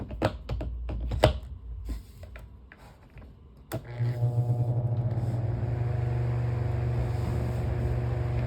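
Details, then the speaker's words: Household fan after replacing a warped, damaged blade and missing blade cover: after clicking and handling it starts and settles into a smooth, steady hum, balanced with no wobble or vibration. "as you can see much better in Balance no it's not vibrating or anything much better as you can see here"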